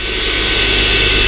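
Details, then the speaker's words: 2008 Mercedes CLK350, 129k miles, engine previously seized and now freed, fresh oil, running without coolant. Smooth, even idle with no knock or ticking, with the secondary air pump whirring; normal idle. "So if Actually, I'm surprised. It runs very smooth, to be honest. There is no any knock sounds."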